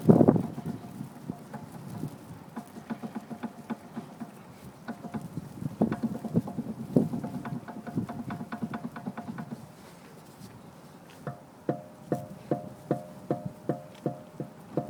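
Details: BMW X3: hollow clunks in bursts then about two knocks a second from the front suspension over bumps at low speed while rocking; stabilizer links suspected, not confirmed.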